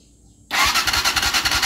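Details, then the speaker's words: Rusi SSX 200 motorcycle that won't start: steady starter cranking at about eight compressions a second that never fires; spark plug check shows no spark, CDI suspected. "Ayan yun ang problema. Kita niyo problema mga bro? Walang kuryente 'di ba? Ayan oh. Walang lumalabas ng kuryente. Meron po tayong CDI."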